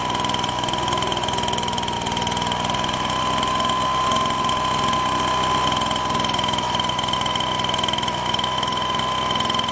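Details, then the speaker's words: Husqvarna 125BT backpack blower two-stroke: fast uneven idle with wavering pitch and stumbling beat; spits and leaks. "all right so it looks like pretty much mostly runs well - spit it out a lot of like it's leaking somewhere I didn't figure that out"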